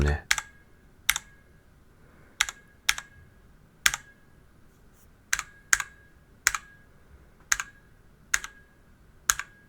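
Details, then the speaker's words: DIY DZ65RGB V2 keyboard with Cherry red switches in an aluminum case. Each keystroke leaves a short metallic ring after the clack: the switch springs are pinging (spring ping). Lubing the springs is the suggested fix. "これについてはスイッチの中にあるスプリングがなっているようです。スプリング鳴きというそうです。"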